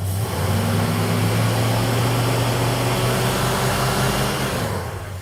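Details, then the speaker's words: Road Runner V8 with points ignition revving with a dull, lazy, slightly rough note; timing light shows only 20° total ignition advance, far too little, to be increased, after which it smooths out. "So, it only had 20° of total ignition advance, which is nowhere near enough. We're going to bump that up."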